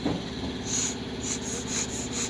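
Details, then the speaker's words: Daihatsu Cuore carburetor with starting/misfire problem: needle valve blown through by mouth, steady airy hiss flowing freely with no blockage; valve clear, otherwise suspect fuel filter or debris in tank. "देखें इसमें ठीक से आवाज़ आ रही है। अगर ये आप इसको फूंक मारते हैं तो यहाँ से आवाज़ ठीक नहीं आ रही, तो यहाँ पर इसको आप पेचकस की मदद से ये देख लें, यहाँ पे खोल के चेक कर लें।"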